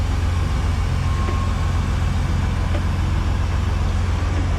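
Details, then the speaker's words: Stretched Peterbilt truck at diesel idle: steady deep rumble with no hiss from the suspension airbag air valve after tightening it with a wrench; before, air hissed out of the valve. No air leak now. "but last time or before i tighten that thing all you could hear was the air hissing out of that valve so that makes me happy it was just i needed to tighten it up and that fixed the problem"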